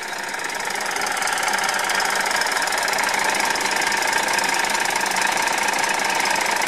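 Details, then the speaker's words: 1989 Ford L8000 rollback diesel, cold start; 344,000 miles, engine believed rebuilt at 300,000. Steady idle with a light, fairly regular tick about three times a second from the air compressor: normal. "tick you can hear us the air compressor I don't know can you hear it maybe not"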